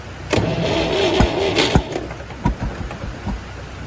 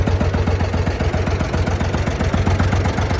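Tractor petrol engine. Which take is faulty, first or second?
first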